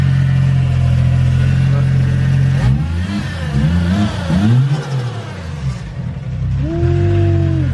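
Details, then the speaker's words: Nissan R34 Skyline revved in place: the engine revs freely, then collapses and stutters around 3,000 to 4,000 rpm before picking back up; the owner suspects the neutral safety switch but isn't sure. "I think it might have to do something with the neutral safety switch I'm not too sure because when we're revving it a like cuts out I would say maybe like three four thousand"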